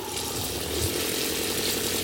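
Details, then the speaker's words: RV water pump after installing an IRVWPC intelligent pump controller: steady hiss of water trickling from a tap with faint, even pump hum, no surging, smooth even at a trickle. "Wow, what a difference. There's no surging. It's nice and smooth, all the way down to just a trickle."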